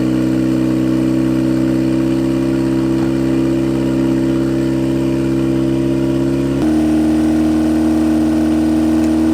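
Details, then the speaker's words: 1991 Mazda Miata NA turbo build, first start on a new ECU running a base map before tuning: fast steady hum well above normal, idle around 2,200 rpm that dips slightly; excessively high idle, needs to come down. "That's too high of an idle. That was like 2,200."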